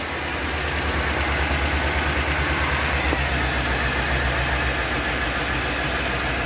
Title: 5.3 bad injector/ rough runner